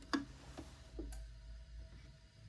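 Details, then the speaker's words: Polti Vaporetto 2400 steam cleaner after cleaning and rebuilding its solenoid valve, pressure up in the green; a single dull clunk as the valve opens, then quiet ticking; steaming again, working normally. "Oh, something clunked there and it went across. Oh yeah! Definitely working now."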